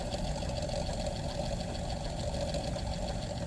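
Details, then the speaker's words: Leslie 147A rotating speaker: steady mechanical whir from the spinning rotor with a faint scratchy edge; client complains of noises from the Leslie, with scratching and also ticking coming from the bottom. "Client complains of noises coming from the Leslie. So I can hear that coming from the Leslie."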